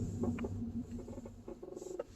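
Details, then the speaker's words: Car on a test drive, braking and turning the steering right: short squeaky creaks and chirps from the right-side front suspension; owner suspects right-side suspension or steering components, not confirmed. "Okay, I don't know if you can hear it correctly, but it sounds like a kind of creaking, squeaking noise. I can clearly hear it. It's in this side at the right side."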